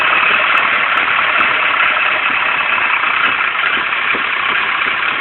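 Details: Nissan 240SX (Silvia) coupe with a KA24DE engine: a steady but slightly lumpy, uneven idle under a hissy background. It is a rough idle with no cause stated.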